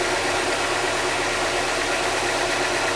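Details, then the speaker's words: Engine idling with the radiator fan on full; the steady fan roar sits over an idle that runs slightly high. "a rotação ali tá um pouco elevada a ventuinha tá aqui o"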